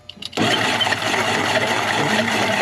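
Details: Jet ski that sank and got waterlogged, first crank with spark plugs out: starter catches and the engine spins freely with a rough, uneven whirr; water was in the cylinders and it was hydrolocked.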